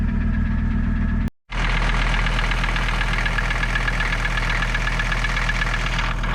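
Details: Mercedes 300TD diesel at a steady, healthy idle after fixing a no-start traced to bad connections, not the glow plug relay; quick start. Even clatter with a firm low beat, no misses.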